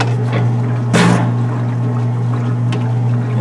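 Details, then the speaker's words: Kenmore stackable washer that would not advance through its cycle, after the timer was tapped: a steady low motor hum with water swishing and the pump running evenly, no knocks; it now cycles normally, and the fault was later traced to the timer points. "we just tap on it that's all it is well see if it there it is now it's cycling"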